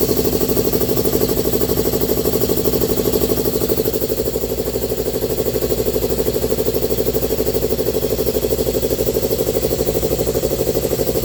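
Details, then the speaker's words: New 3/8 shop air line kit first pressurized: the compressor pumps with a steady fast thump, about three beats a second, while building line pressure. The owner thinks he hears a leak, but any hiss is buried under the motor. "it builds up all the line pressure sounds like I hear it leaking though"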